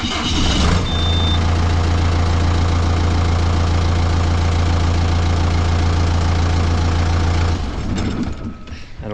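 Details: John Deere diesel after electrical repairs, with the dash now lighting up: brief cranking, then it catches quickly and settles into a steady, low, even idle rumble; it starts cleanly.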